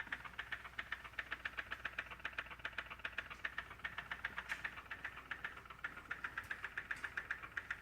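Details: M2 engine idling with a sharp, regular metallic top-end tick about 2.5 per second over a quiet idle; the cause is not yet pinned down.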